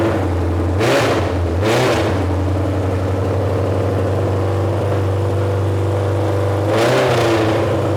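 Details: Junkyard Honda CB750F that sat for decades, running after revival: steady idle with three quick throttle blips rising and falling cleanly through a very loud exhaust; runs and revs fine. Starter clutch still needs addressing.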